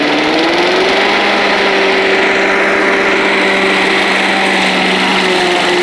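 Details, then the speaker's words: Old Rover Turbothrust mower made in Brisbane, Australia, at full throttle: a steady high buzzing drone like a leaf blower, even pitch with no misses or knocks; runs well, normal full-throttle running. "but yeah other than that it works real well you know sounds like a leaf blower"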